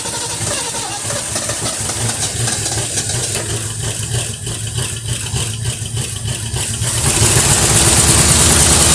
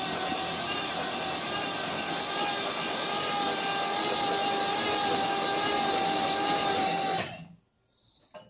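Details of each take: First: 1973 Mercury Cougar XR7, first start since 1985, oil/2-cycle mix in cylinders, Motorcraft carburetor leaking at accelerator pump, no oil pressure on gauge: steady idle with quick light ticking about three per second; owner suspects lifter noise from old engine. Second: 1973 Mercury Cougar XR7, unstarted since 1985, in park on ramps, first crank with spark plugs out: starter whirs steadily, slow at first then picking up speed, about seven seconds; engine turns freely, not seized, a little oil mist from plug holes.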